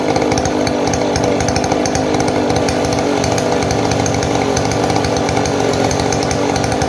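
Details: Model 070 two-stroke chainsaw, repaired after lacking power and backfiring: loud, steady high-revving buzz holding speed under load through the cut, no popping or bogging heard.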